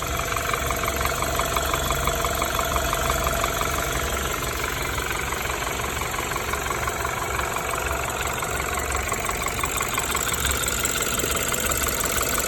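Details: BMW N20B20 engine after engine damage: steady idle with fast, fairly even light rattle about three per second over the hum; engine rattle at idle, cause unclear.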